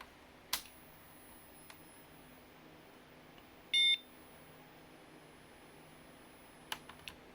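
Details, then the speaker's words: Zenith SuperSPORT 286 laptop after its power supply was repaired, powering on: a single short, clean beep with faint clicks around it. Normal POST beep; the laptop is working again. "I like that oh I heard a beelicious that is a awesome awesome awesome sound it's actually working"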